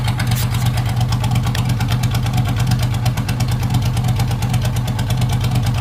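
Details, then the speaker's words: Race mower / hot rod tractor small engine with magneto ignition and a custom relay-and-tach rev limiter, just started on choke: strong, even low rumble with crisp regular firing pulses, no knocks or misses; normal idle and revving. "Gonna get her cleared out. There she is. Man, it sounds amazing."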